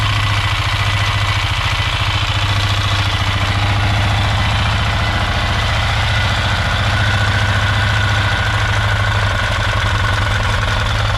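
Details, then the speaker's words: Polaris Sportsman 500 after top-end rebuild, idling loud with fast uneven clatter about three and a half per second over the thump; cause unknown, owner may refit the old automatic hydraulic timing chain tensioner in place of the manual one. "so if anybody's got any idea what that could be I don't know I might try putting the old chain tensioner back on the automatic hydraulic timing chain tensioner and see that makes a difference"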